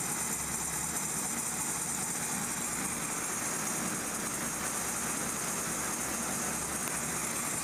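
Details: 1998–1999 Kia Sephia 1.8L DOHC with check engine light and codes P0301–P0304 idles rough with an uneven, hissy beat; misfire from spark leaking at a carbon-tracked spark plug wire boot.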